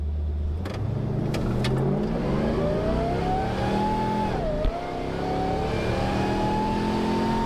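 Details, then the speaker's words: Morrvair with 250,000 miles, third launch acceleration test after spark plug replacement; note climbs smoothly through the revs without misses; idles and rolls onto throttle smoother, speed gain unclear. "All right, general consensus. It does idle smoother, it rolls onto the throttle smoother. Can't tell if it's ultimately faster or not, but that wasn't the goal anyway."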